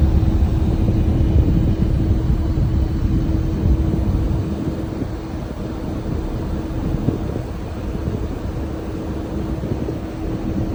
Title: Heat pump making noise